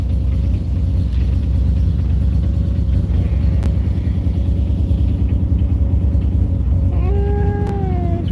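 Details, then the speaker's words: 1995 Mazda RX7 rotary, cold winter start after sitting a couple of months: rough, uneven running with lumpy low beat and occasional stumble, coolant smell; feels like a misfire, owner suspects storage and hopes it clears, cause unconfirmed. "kind of funky get the glare out of here I can smell coolant feels like a little misfire don't know why I mean it has been sitting for a while hopefully it'll clear"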